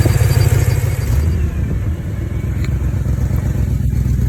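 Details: BMW E9x M3 with S65 engine in limp mode, misfiring on cylinders 5 to 8: a lumpy rough idle with a loud low chuffing of about four pulses a second, caused by a missing header-to-mid-pipe exhaust gasket.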